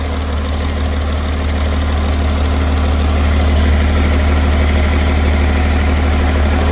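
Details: BMW 330d, M57 diesel, failed again two years after last failure: loud, deep idle with uneven pulsing chug, down on a couple of cylinders with heavy blow-by and tending to run away; turbo failure suspected, melted pistons.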